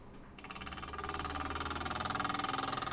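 Bathroom fan switches on into a loud, rough roar with a rhythmic throb, caused by a broken blade.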